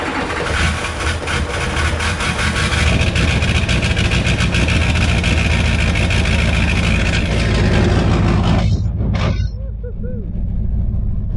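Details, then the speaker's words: Duramax diesel race truck, first start after engine rebuild with EGR installed: fires up and settles into a loud, steady clatter with no misses or knocks before quieting; normal start and idle. "yeah so truck runs"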